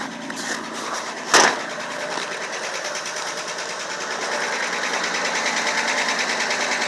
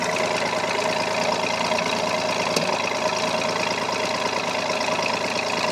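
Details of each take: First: 4WD straight inline six with dual exhaust, 3 cylinders per side, cold start in 23°F with an oil leak: uneven pulsing chuff about twice a second at cold idle; owner says it's a misfire, not a tick. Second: So this is 3 other cylinders that, you know, same temperature, same thing. Here's the other 3 cylinders that are hitting correctly.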